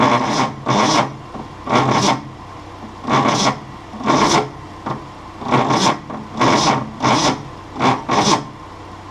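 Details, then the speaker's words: 1966 Ford Mustang 200 ci straight-six with sluggish cranking: a slow, dragging crank in uneven bursts about every second, straining through each compression stroke without firing. The starter is overheating and likely burned, and the sulfur-smelling battery lacks cranking amps. "might also need a new battery it definitely smells sulfury over here and it just does not have enough cranking amps to crank this motor with this starter"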